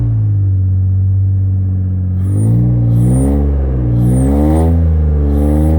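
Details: V6 TL running on only three cylinders due to bad injectors: deep, lumpy idle, then rough uneven revs rising and falling; cylinder misfire from faulty injectors.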